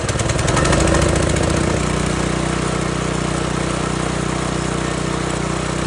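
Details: Pressure washer after draining old gas and fitting a new carburetor, choke on: engine catches with a brief surge, then settles into an even, steady run with no misses or hunting; normal running.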